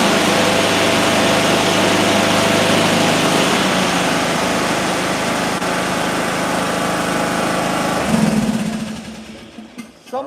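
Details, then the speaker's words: Small mower engine with ignition coil air gap at 0.030 in, triple the recommended 0.010: steady, even drone with no misses or stumbles until it winds down; normal running. "All right, so now we're at 30 30,000. We're at 10 is the recommended and it's still running good."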